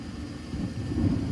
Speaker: now i'm going to put my jumper on the w and i do hear the igniter or i heard the uh induced draft